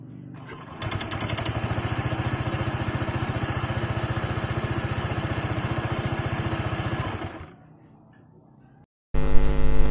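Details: Honda PCX 160 scooter with coarse-sounding engine: uneven chuffing about four pulses per second at idle, then switched off; rough idle.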